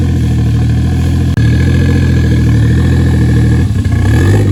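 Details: Toyota 1JZ-VVTi turbo six with new Tomei BX8280 turbo, after idle air control valve fixed: steady even idle, smooth low hum, no misses, knocks or hunting; normal idle.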